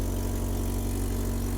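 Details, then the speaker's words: Manual car at an auction yard idling: steady, loud, deep idle with a hard low drone and no misses. The exhaust sounds open; exhaust pieces are suspected missing underneath. "I think we're missing some exhaust pieces I think something's missing under there"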